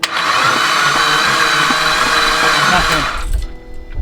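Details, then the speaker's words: Blown Mitsubishi Evo X during compression test, cranking with pedal floored: starter spins the engine fast and evenly with hardly any compression pulses, one cylinder reading about 20 psi and another zero, no clanks; the engine needs to come out. "we got about 20 psi there so that means your motor needs to come out"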